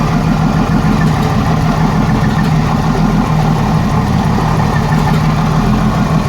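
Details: 1987 Jeep Cherokee Renix 4.0 at idle: low uneven idle that stumbles and loses its beat, one cylinder missing; later traced to a sticking valve or bad lifter, cylinder 6 exhaust rocker moving less; loosening its rocker bolt smoothed it.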